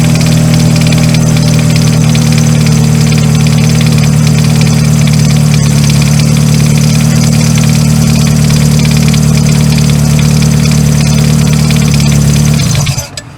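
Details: 2000 Ford Focus, after replacing the seized AC pulley bearing that had prevented starting: steady, even idle with no knocks or squeal for about twelve seconds before shutoff. Sounds healthy.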